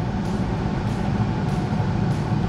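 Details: Bryant 926 series two-stage gas furnace with variable speed blower on high fire, manifold pressure 3.4, hot house, 45°F temperature rise within 40–70 spec: steady even roar of burner and blower, no surging, rumble or rattle; firing cleanly.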